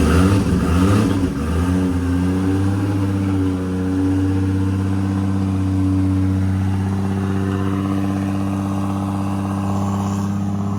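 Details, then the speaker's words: Toyota 2JZ-GTE in a Commodore project car, warm after first start; one cylinder had no spark output, found and fixed. Steady, even rumble after a blip, no misses or knocks, sounds good. "but all is going good and it ran for 5 seconds and it sounds good so I'm stoked I'm feeling a little bit less stressy now that that it's running"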